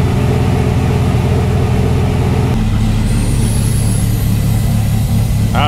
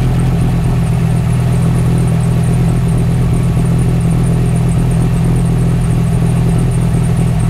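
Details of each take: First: Dodge Ram 1500 SRT-10 Viper V10 after replacing the original accessory belt; deep, steady even idle rumble with no belt chirp or squeal. Normal idle. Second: Dodge Ram 1500 SRT-10 Viper V10, first start after sitting a while; steady deep idle with rapid high chirping from the original accessory belt. Worn accessory belt chirp.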